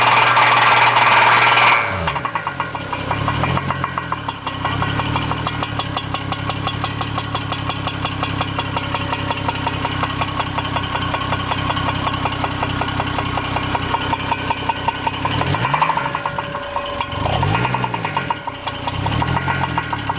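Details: 2002 Chevrolet Trailblazer with a remanufactured engine, just before its break-in checkup: petrol engine idles with a steady, fast metallic knock; cause not found despite extensive teardown.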